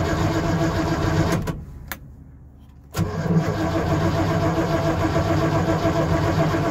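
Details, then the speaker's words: Project car with solid engine mounts, no alternator and the electric choke not hooked up. It catches after a brief lull and settles into a fast, steady, lumpy idle with heavy rumble. The idle is too high, suspected to be from the unconnected choke. "I know the idle's up a bit too high. I'm pretty sure it has to do with the choke, because I don't have the electric choke hooked up."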